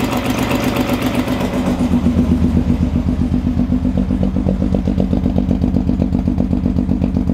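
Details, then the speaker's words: Engine on a jump pack after timing correction: it lopes unevenly at fast idle with an irregular, hollow mechanical clatter on one side. A sensor is possibly missing, and the owner suspects valves damaged during early start attempts, pending a compression test. "What do you think? It's not running smooth. So And maybe I'm because hearing, we're like, missing the sensor here, possibly. And I'm hearing a mechanical noise."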